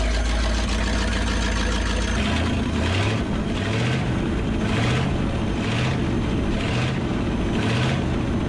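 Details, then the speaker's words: Abandoned 1963 Loadstar truck V8, after carburetor work: big rumble running on its own with a steady low beat and regular throttle surges about once a second; runs fine again. "maybe i fixed the damn thing maybe i did it"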